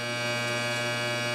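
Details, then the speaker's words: AC welder switched on while repairing the broken starter tab of a John Deere TRS 24 snowblower: steady loud mains-pitch buzz with hard edge, no wavering; the normal buzz of an AC welder, louder than DC. "AC welder, not a DC welder. They buzz that much more."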